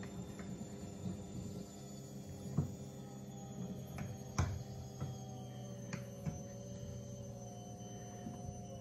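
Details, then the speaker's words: Twin fuel pumps on PWM fan speed control module, 50% duty raised toward 700 kPa fuel pressure: steady low pump hum with irregular sharp clicks every second or two; fuel pressure regulator chattering. "we'll put it to 50% Duty first I'm just going to turn this up here she's already chattering"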